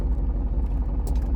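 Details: Dodge Charger after fixing a no-start caused by a bad wire spliced by a previous owner (fuel pump first suspected), mic near exhaust: deep steady rumble pulsing evenly with no misses or stumbles; runs normally.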